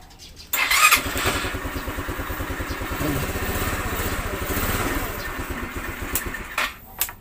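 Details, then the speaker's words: GY6-type scooter/motorcycle that totally wouldn't start, starter motor replaced: electric push-start, engine fires within half a second on one click and settles into an even putter; normal electric start after repair. "pinalit ko na starter motor yun one click na nag-start na siya"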